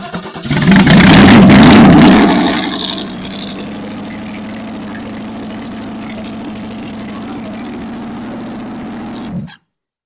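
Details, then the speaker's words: 1964 Chevy 283 small block, low-budget DIY-ported rebuild on a test stand, warm restart: catches right away, roars briefly, then settles to a steady even idle, with a wrench propping the choke so it isn't fully shut; restarts fine. "okay so it does start right back up once I put a wrench in the choke so the chok's not completely shut okay that's good news"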